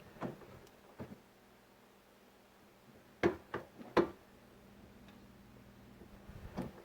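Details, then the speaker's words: 2001 Chevy Silverado driver's door after replacing the door check: door swings with a few crisp, firm clicks at each stop, no creak or pop, much quieter; nice solid detents, normal door check operation. "Nice solid detents. Yep, nice solid detents, and it is much quieter."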